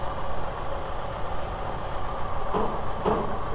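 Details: 1987 VW Vanagon (T3) with an intermittent lack-of-power complaint, warming up at idle while the O2 sensor cycles rich and lean: an even, steady low rumble with no misses or hunting, a normal smooth idle.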